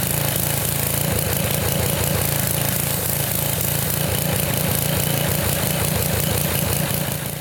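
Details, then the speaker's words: Revived Sears Craftsman pressure washer, 6.5 hp Briggs OHV, 2500 psi 2.7 gpm, not yet hot, low pressure while purging: steady, even drone under pump load, no misses, knocks or hunting; runs normally, pump leaks but works and restarts. "I don't see any issues I want to want to run it a little bit longer we're not even really hot yet she's able to handle whatever load there is"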